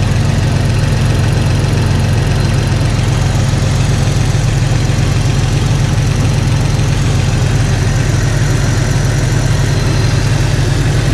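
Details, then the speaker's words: Jeep Cherokee XJ idling after swapping in refurbished 4-hole injectors to replace cracked ones, no fuel leaks found; steady even low hum with smooth pulse, no misfire or ticking, idles nicer and quieter. "As far as the feel from it, it idles a little bit nicer, a lot quieter."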